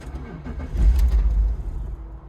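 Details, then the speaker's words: BMW E46 that won't run, after swapping in a replacement purge valve: short burst of low, churning cranking that dies without catching; no start, no idle, leaky vacuum line now suspected rather than purge valve. "Not even like anything. That doesn't even idle anymore."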